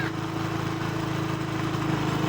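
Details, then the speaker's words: Passion Pro-type motorcycle with cold-morning starting and stalling problem: small single-cylinder idling with an even drone, speed easing down slightly as the carburettor air mixture screw is turned during air setting. "Race થોડો ઓછો થયો તમારે ધ્યાનથી bike નો અવાજને તમારે સાંભળવાનો છે"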